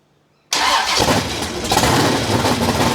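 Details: Big block Chevy V8 in a Holden HQ Summernats build after fitting valve covers with neoprene gaskets; silence, then fires at once into a loud even deep rumble, with great oil pressure. Normal running.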